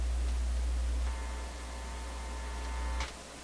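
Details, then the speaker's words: Vacuum tube PA amplifier with a strong hum of unknown source: a deep, steady mains-type hum drones loudly, then greatly reduces but does not vanish after the volume control ground is grounded to a chassis screw. "I just grounded it to a screw on the chassis. Hum's not completely gone, but very greatly reduced."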